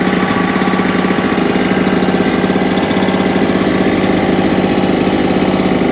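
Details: Salvaged small two-stroke generator, after new NGK spark plug and carburetor clean: steady, even chug at constant speed, no surging or hunting; normal running.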